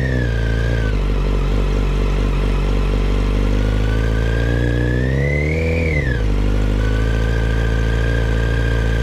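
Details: 2008 Yamaha FZ1 with revs: steady high whine over the idle rising and falling in pitch with revs, much louder at the clutch cover than crank area and cam chain drive; exact cause unconfirmed.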